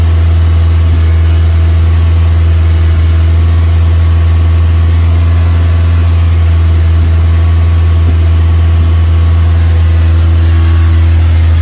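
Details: Westfield FW with Zetec engine at fast idle: low, steady hum with an occasional hiccup in the firing beat, an intermittent misfire.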